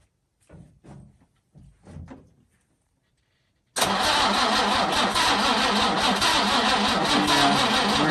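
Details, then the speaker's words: 1966 Jaguar E-Type OTS roadster, first start attempt after over half a century of storage: the starter churns steadily but the engine never fires. There is no spark; a fault from the distributor rebuild or the vintage coil is suspected, not confirmed. "all right well we've hit a bit of a snag we are just not getting any spark and it seems that maybe I messed up something when I rebuilt the distributor"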